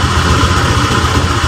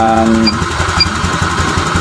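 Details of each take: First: Honda Vario 125 (old) at idle: uneven, hunting idle, throttle position sensor reading fluctuating and injector value off spec (should be about 2); throttle body to be dismantled, plus fuel float and radiator checks. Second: Honda Vario 125 (old) after repair and ECU reset: small single putters at a steady idle, no surging or stumbling, faint electronic beeps in background; idle stable, O2 sensor reading.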